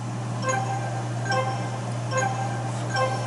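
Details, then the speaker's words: JJP pinball flipper end-of-stroke switch checked in dedicated switch test mode: a clean chime sounds each time the switch closes and opens, about once a second over steady mains hum; switch reads correctly. "So when these dedicated switches like the end of stroke switch are made, I'll hear the game make a sound. So it makes a sound when it closes and it makes a sound when it opens."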